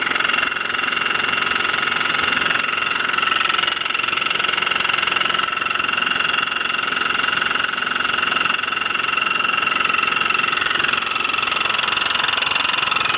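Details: Hotpoint washing machine: constant high-pitched whine over a quick, very regular pulsing about four beats a second; abnormal running noise, cause unclear.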